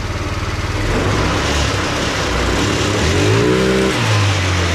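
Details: Tao Tao 50 (ATM 50) Honda Dio-clone two-stroke scooter, warmed up about four to five minutes: buzzy engine picks up cleanly when revved and drops back without stumbling or bogging; normal revving.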